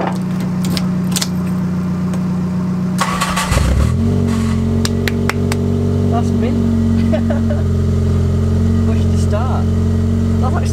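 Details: 1998 Toyota Corolla E11 4E-FE, jump-started through a newly wired push-to-start button: starter whirs briefly, engine catches at about 3.5 seconds, then settles into an even, steady idle; starts cleanly.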